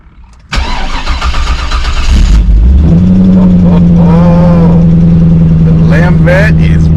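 Starter cranks briefly, then the V8 catches cleanly and settles into a steady, even idle with no stumble or knock.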